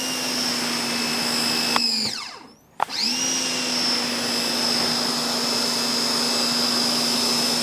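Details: Ryobi 1600 PSI electric pressure washer, spraying stucco house wall: steady high whine over low hum, drops out briefly on trigger release and spins straight back up; whine annoying but normal. Normal pump whine.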